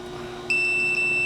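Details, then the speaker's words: 1990-92 Mercedes 500SL electronic throttle actuator (ASR II) potentiometer, after cleaning the idle contacts, tested with a meter: continuity beep breaks and resumes as the idle switch closes and opens; contacts now work properly. "close open close you see my switch works fine now"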